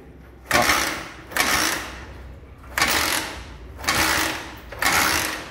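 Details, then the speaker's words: Motorcycle kick-started with ignition switched on but a hidden anti-theft switch cutting the coil wire, battery unplugged: five kick strokes, each a short churning whir dying away with no firing; no spark, won't start. "pega de forma alguma, mesmo que a ignição esteja aberta, galera."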